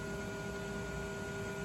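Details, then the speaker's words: Original MFM hard drive in an old Compaq 386 that used to squeal and squawk by this point, after a simple fix, about a minute in: smooth constant hum with steady tones, no squeal or chirp. Normal hard drive spin. "sounds pretty good to me."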